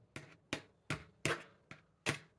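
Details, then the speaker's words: Bathroom vent fan/heater/light combo: light clicks about three a second from a loose backdraft damper flap slapping its frame, intermittent and possibly wind-dependent; flap removed to fix. "because this is the flap that was making that little"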